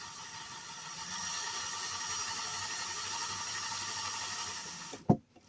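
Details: Hornby A4 model locomotive on test track after clean and repair, before oiling: faint steady high whir with no catching or grinding, even throughout, ending in a single clack; motor running sweetly.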